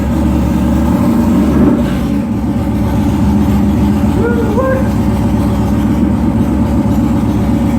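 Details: Yamaha Warrior 1700 V-twin first run after engine rebuild (earlier had no compression): steady, deep, even beat with no knocks or rattles; engine sounds healthy.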